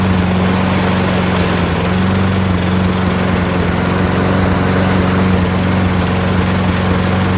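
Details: Toro Recycler 22" self-propelled mower with Tecumseh engine, left 2 years with gas in it; steady, even drone at a slightly raised speed with no misses or surging. Normal running.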